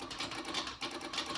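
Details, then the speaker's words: Vauxhall Astra J, Copart salvage rebuild, no electrical power, engine off: quick uneven dry ticking whenever two loose wires in the loom feeding the engine touch; electrical fault, source not yet found. "I'm not sure if you heard that, but when I touch them two, it's making some sort of noise."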